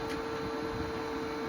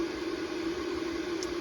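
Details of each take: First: New replacement Renogy inverter/charger (updated model) going through initial startup, outputting 119 V; soft steady fan whir with clean mid-pitched hum over quiet room noise, the cooling fan starting up normally. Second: Renogy 3000 W inverter/charger, failed after 4 years, won't charge from the generator input: a constant mid-pitched cooling-fan hum that never lets up; owner suspects a faulty thermostat or sensor making it think it runs hot.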